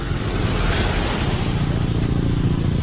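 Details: Honda TMX Alpha 125 converted to 150cc block without crankcase machining, still in break-in, fitted with a heavy sidecar: even low putter at steady revs with no knocks or ticks; the fresh 150 block runs quietly and healthy.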